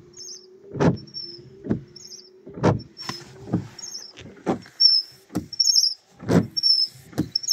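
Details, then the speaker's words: Car windshield wipers on drying glass: thumping about once a second with high squeaks and juddering skips each sweep; washer fluid only helps briefly; fixed by adjusting the wipers with pliers. "As soon as the glass dries a bit, you hear the squeaking and skipping again immediately."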